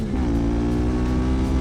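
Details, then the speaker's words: CFMOTO 450MT (Ibex 450) after 20,000 km and 12 months of hard riding: a strong, even engine note with clean firing and no knocks, rattles or misses. Owner found no engine, gearbox or chassis issues, no lost power and no clutch slip. "After riding all that harsh 20,000km, honestly, I didn't find any issue with the gearbox, with the engine, with the chassis."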